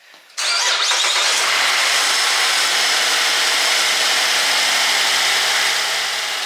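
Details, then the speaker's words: 2014 Buick Enclave, 185K miles, just after water pump replacement for a coolant leak, first start before final engine cover: brief crank, immediate catch, steady even idle, no hose leaks; normal start and idle. "sounds good no leaks for any of the hoses I had off"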